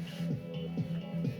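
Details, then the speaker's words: National Panasonic RS-466ST boombox cassette playback: music dull and boxy with treble almost gone, muffled sound; owner suspects dirty or moist tape head needing cleaning, not confirmed. "तो थोड़ी मुझे इस time थोड़ी सी आवाज़ दबी हुई लग रही है, जो कि"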